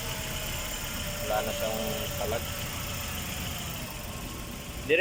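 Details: Chevrolet Spark small four-cylinder after spark plug replacement and throttle body cleaning for a misfire: steady even idle, smooth low hum, no stumbles or skips; running cleanly.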